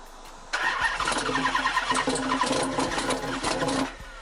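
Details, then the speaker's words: 2005 Chrysler 300C 5.7L Hemi after rebuild: starter churns about three seconds with uneven puffs but never runs; doesn't sound like a smashed piston or dropped valve; owner says it has spark, fuel and air, cause unknown. "uh all right well as y'all can see it wants to start it just won't start it doesn't sound like a smash piston doesn't sound like a drop vowel it doesn't sound like anything"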